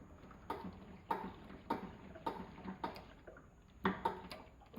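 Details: Motorcycle front end, noise when braking: sharp clicks repeat evenly about every 0.6 seconds with a doubled clatter near the end; a front-end rattle, location identified only.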